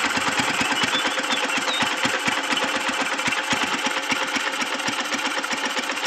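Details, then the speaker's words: Kawasaki Boss 175cc motorcycle, used, last model with mag wheels, starts easily: quick even pops about four a second, bright exhaust chatter with no knocking underneath; a clean, quiet, steady idle. "ไม่มีดังก๊อกๆกๆกๆอะไรนะครับเสียงเงียบเลยนะครับ"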